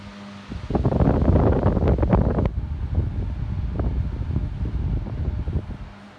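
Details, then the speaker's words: 1954 Westinghouse 16-inch 3-speed oscillating table fan, mint condition, running on high: strong steady rush of air with only a low hum, no rattle or ticking; very powerful and quiet, normal. "very very large amount of air coming out of this band it is extremely powerful this is almost an industrial fan as far as the power goes"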